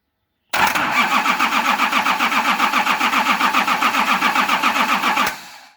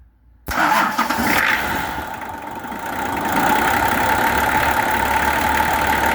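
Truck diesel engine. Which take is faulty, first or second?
first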